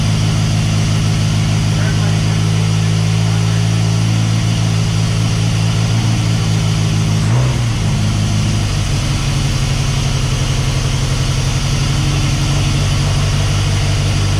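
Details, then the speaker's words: Mercruiser 140 boat engine swapped into an S10, charging at 14 volts: steady idle drone, then midway pitch climbs and stays up without throttle; warm idle surge, cause not yet found (some fuel pools in intake). "Like it seems to be when it warms up, it just takes off."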